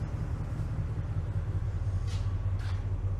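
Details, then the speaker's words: 2012 Ford F-250 6.2L gas V8, about 274,000 miles, after replacing the oil pressure switch/sending unit: a low, steady rumble settles into an even idle with no knocking or ticking. Oil pressure reads fine with no warning lights, so it is fixed. "Oil pressure's fine. No engine light. No oil pressure dummy light. At even low RPM, oil pressure still plenty good."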